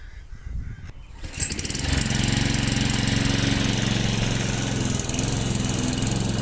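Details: Briggs & Stratton Quantum engine on a Clipper lawn mower after spark plug work (previously started but wouldn't keep running after winter): steady even beat cutting grass, no misses or surging; normal running under load.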